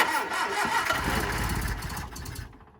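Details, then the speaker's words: Hillman Super Minx after a carb rebuild with a new diaphragm, first start: the starter churns fast and steady with a few short catches that die away while fuel refills the empty float bowls; it later starts and idles, apparently with no fuel leaks. "got a lot of cranking to do get the fuel back up to the carb again as well fill all the bowls"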